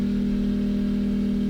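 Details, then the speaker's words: Portable generator with eco mode off charging a Tesla via a J1772 portable charger at 13 amps: steady even drone with firm, slightly strained pitch, no surging or misfire; surprisingly carries the heavy load. "13 amps. Oh, it's working hard. It's working at 13 amps, surprisingly."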